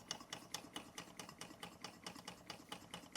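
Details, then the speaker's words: Bing 10/110 poppet valve toy steam engine on original spirit burners, now at 1 bar, maintenance run after months idle: light, regular clicking about two strokes a second, no knocks or misses; running evenly, no leaks, everything as it should be. "Anyway, it's a little maintenance run of this one, but everything going how it should do. Very nice machine, no leaks."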